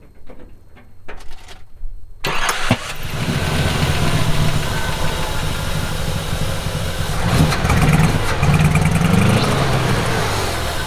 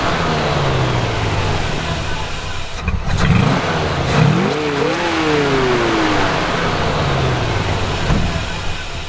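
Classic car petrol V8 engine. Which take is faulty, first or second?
second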